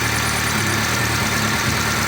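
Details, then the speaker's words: VAZ 2-litre engine, hot, with an oil pressure gauge fitted and an extra copper washer, oil pressure slowly dropping: steady idle with a faint, fast ticking from one corner. A hydraulic lifter is suspected; it seemed quiet when cold. "И снова раздается тихий звук «тук-тук-тук» ."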